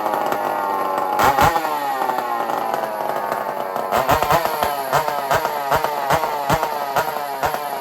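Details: Stihl 046 Magnum chainsaw with opened-up muffler (exhaust no longer forced through a tiny hole): loud, crisp two-stroke throttle blips snapping up quickly and dropping back cleanly with a rapping exhaust note; healthy and responsive.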